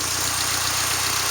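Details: 1998 Mercury Mystique (Contour) 2.0 with 5-speed, 143,593 miles, rusty, at a salvage yard: steady, even idle with a smooth low hum and no knocks or misses. When revved it shows a slight miss and hesitation; owner thinks it needs plugs and wires and suspects a plugged cat.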